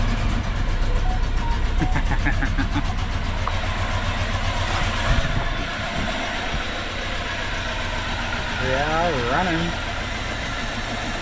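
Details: Mitsubishi L200 with EFI conversion, first start after refitting the distributor: it catches and holds a steady, fairly even idle with no misses or knocks; owner thinks the distributor may be a tooth out or need timing adjustment; normal idle.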